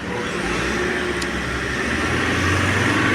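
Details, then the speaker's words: Mahindra Scorpio diesel after repairing a seized, loose number-one connecting rod bearing without an engine rebuild: steady, even idle with no tapping or knocking; normal idle after repair. "तो हमने कहा sir engine नहीं खोलना पड़ेगा यह हो जाएगा और कर लिया उसके बाद देखिए साउंड अप बहुत मस्त हो गया कोई दिक्कत नहीं"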